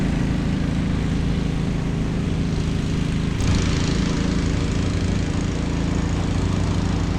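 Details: Snapper Yard Cruiser zero-turn mower with 42-inch cut, revived after a mouse nest, cutting long grass: steady, even engine drone holding its speed, no misses or knocks, no smoke, didn't get too hot; normal running under load.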